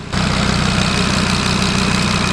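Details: Audi RS3 DAZA engine at warm idle on first start, thermostat probably opening and coolant temperature stable at 90 degrees; steady, even deep pulse, no knocks, ticks or misses, normal healthy warm idle.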